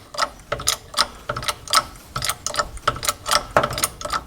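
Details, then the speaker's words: MGB-GT front Costello suspension, badly installed: jacking it up gives uneven creaks and sharp clicks about twice a second as the shock absorber rubs against the bracket bolt, the bolt stretching the rubber; heard as squeaking over bumps when driving. "I'm jacking up the suspension and that's what you hear, the clunking. That's another one, and another one. A very annoying sound."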